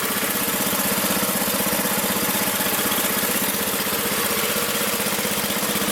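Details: Magna air compressor with a Briggs & Stratton engine from at least 1983, sat 5 years, first start on the carburetor alone without carb cleaner: crisp, even chug at about four beats a second, no surging or missing, reaching 100 psi; normal running.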